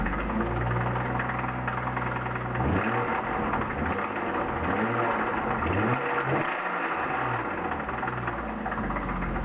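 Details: 1995 BMW E36 323i, M52B25 petrol six, 140,000 km, idling: steady quick knocking loudest at the engine front above the VANOS; lifters and upper chain tensioner already replaced, no metal in oil, no oil-pressure light; owner suspects crank or rod bearings, or chain.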